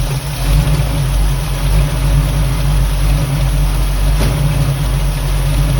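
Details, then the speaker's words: Carbureted Mustang with recent 1-inch intake spacer swap: deep, steady idle sitting slightly high with a soft uneven lope and rich mixture; owner plans to readjust idle mixture screws and lower idle, timing left alone; possible remaining vacuum leak. "I'm just going to readjust the carburetor idle mixture screws, maybe bring the idle down just a hair, because you can tell now it's a little high."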